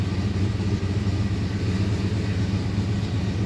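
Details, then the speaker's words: Fox-body Ford Mustang with Holley Terminator X and Fiesta-style IAC valve just installed, stone-cold engine: steady even low rumble idling at 940 rpm with no knocks or stumbles. "This is a bones cold engine. Idle it at 940."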